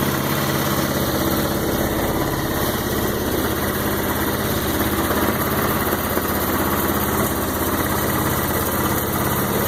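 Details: Roketa MC-75-150K Chinese 150cc motor scooter, new battery: small single runs at a steady idle with an even putter, no knocks, misses or hunting; normal idle.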